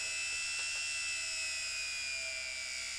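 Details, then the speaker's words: Appliance motor run on the bench at 31 volts DC: high, steady whine of a fast-spinning brushed motor, no sparks on the commutator and good torque; normal running. "No sparks on the commutator. It's working pretty well. The torque, quite a bit."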